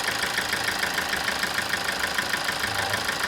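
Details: 2007 Toyota Avensis D4-D diesel with complaints of low power, ticking and a flashing engine light; injector 4 shows a -5 correction: a sharp, regular knock about three times a second at idle. Stethoscope checks on all injectors sounded the same, so the source is unconfirmed.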